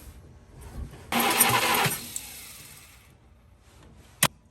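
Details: 1951 Studebaker, recently unstuck engine, throttle open, weak battery and no spark found: under a second of cranking that never catches, then quiet and one lone sharp pop; turns over but won't start.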